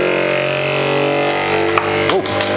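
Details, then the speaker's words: Anycubic Kobra 3 Combo 3D printer during resonance compensation test: steady buzzing tones from the fast-shaking head, then sharp clatters as a loose part with two broken tabs rattles free. "so this part here on mine is broken so that's why that was loose when I pulled it out two of the tabs have broken"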